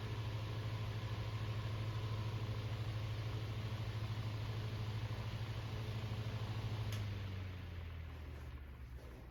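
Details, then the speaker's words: Fan after a bearing realignment attempt (it still won't line up): steady low hum for several seconds, then smooth coast to a stop; now loose, nice long spin-down, though it stops much as before. "let's check out the spin down time. Really nice long spin down time."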